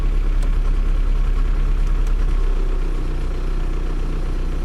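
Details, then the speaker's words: 2003 VW TDI diesel after thermostat and coolant temp sensor replacement: steady idle clatter sags and slows as the AC compressor is switched on; idle speed drops under AC load, cause unknown. "you hear that instant change in the idle immediately dropped watch I'll push the AC button you can instantly hear"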